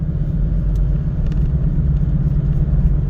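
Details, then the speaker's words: Cabin recording while driving: heavy low droning rumble with a wom-wom pulse, tire noise from rear tires cupped by bad shocks, before new rear shocks and tires were installed. "Once you have bad shocks, it's gonna screw the tire up. So you're gonna hear a lot of road noise. Vroom, vroom, vroom."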